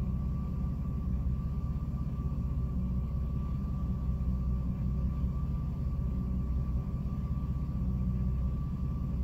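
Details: 2006 Jeep Liberty at idle with A/C off, low rumble with a lumpy beat that wavers now and then; it randomly stumbles and nearly dies, cause unknown.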